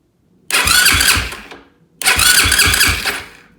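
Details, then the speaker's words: Yamaha YFZ450 rebuild, new starter and solenoid: two clean bursts of brisk, even cranking with a steady whirr and no grinding, exhaust audible; normal starter cranking. "Oh, it sounds wonderful. I can hear the exhaust coming out of there."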